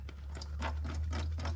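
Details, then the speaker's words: Bobcat skid steer with a Kubota V2203 diesel that had a crank-no-start after sitting 10+ minutes. The new replacement fuel lift pump, after priming, gives quick even ticking over a low hum with no gurgling, hissing or air sucking. Normal operation. "That's how it's squirting, pumping, and it's quiet. No gurgling, no hissing, no sucking air."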